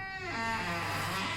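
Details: House door swinging: high, wavering squeal, likely dry, ungreased hinge; suspected squeaky hinge, fixed at no cost.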